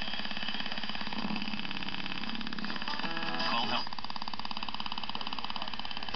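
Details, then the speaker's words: 1953 Westinghouse H393T6 six-tube AM radio, out of its cabinet and untuned: a rapid, even buzz under the hiss, caused by interference from a nearby camera battery charger when no strong station is tuned. "But then I realized at the same time, over here on the other side of the room, I've got batteries charging for my camera, and they create enough interference when there's not a strong radio station to sound like"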